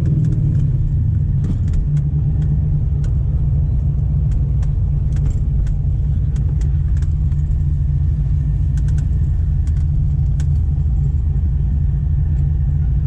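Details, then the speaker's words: 2006 supercharged Corvette V8, misfiring since a fill-up at a local gas station, first on cylinder 6, now multiple-misfire code; plugs gapped and wires checked; deep, lumpy, stumbling rumble like a Subaru, down on power; suspected bad fuel, unconfirmed. "still getting a crazy misfire and his car literally sounds like it's a Subaru"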